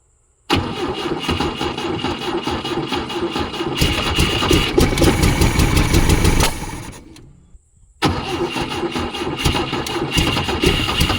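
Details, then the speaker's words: 1972 Volvo 145 four-cylinder after reconnecting missing plug wires: catches and settles into an uneven, lumpy idle with a loose, unsteady beat, now running on all 4 cylinders surprisingly well but with a major vacuum leak. "that actually runs surprisingly well. Got a major vacuum leak, that's shocking. Runs now on 4 cylinders."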